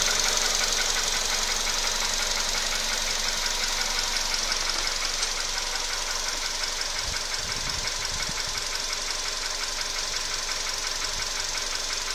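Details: VW Polo Sedan, 28,000 km: steady fast ticking knock about three per second over a smooth idle, from inside the engine, cause not yet known; engine knock.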